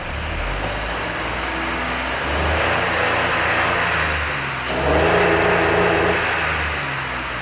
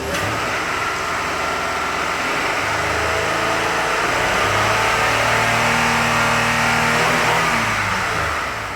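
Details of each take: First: 2005 Honda Odyssey revved after cleaning out the second catalytic converter: two smooth swells without bogging but stops climbing early, no longer losing steam as before; owner suspects the Vehicle Stability Assist (VSA light on) limits revs. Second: 2005 Honda Odyssey after clearing codes by disconnecting the battery, not yet at operating temperature: engine climbs smoothly to the rev limiter and settles without stumbling. Revs freely with no VSA lights.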